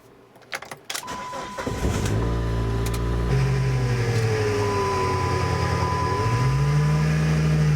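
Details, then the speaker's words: 2001 Chrysler PT Cruiser at start-up: after the starter cranks, idle carries a steady whine that sags then rises in pitch, heard from the fan belt area; owner suspects power steering pump, idler pulley or A/C compressor, not confirmed. "so that's what it sounds like and that does sound like it's coming from from here from you know it does sound like it's coming from right there"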